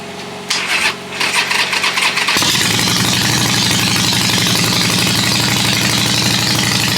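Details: 2007 Harley-Davidson XL883, 13,541 miles, a non-running theft recovery, first start in neutral; a couple of seconds of cranking, then it catches and settles into a steady loping V-twin idle without misfires. Healthy start, normal idle.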